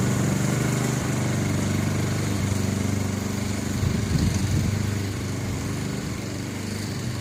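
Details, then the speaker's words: Free Honda push mower mowing grass after its deck height was corrected: steady small-engine drone under load with a slight rise and fall in speed. Mild surge that the owner plans to treat with Seafoam. "surges just a little bit. I think we'll let the seafoam deal with that."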